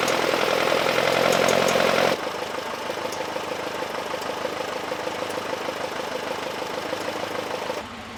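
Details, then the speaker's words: 1967 Alfa Romeo Duetto Spider 1600, freshly rebuilt engine first start after 30+ years: steady idle with light regular tick from the cooling fan blade grazing its shroud. "you can hear a slight ticking noise which is the cooling fan just touching the shroud which is no big deal well at least not for now"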